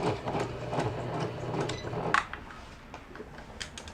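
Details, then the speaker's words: Janome Flare 810 computer sewing machine, about 20 years old, test-sewn after repair and reassembly, at fast and slow speed: quick even stitching for about two seconds with no knocking or grinding, normal sewing. "그 다음에 띠끄라고 되어 있는 저속 바느질, 모두 정상 바느질 됩니다."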